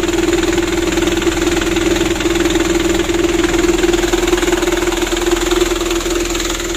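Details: 2010 Mitsubishi Canter 125 PS diesel truck with a loud aftermarket exhaust, after injection pump plunger and timing adjustment: even clatter at a steady idle with a constant hum, no misses or hunting; idles cleanly.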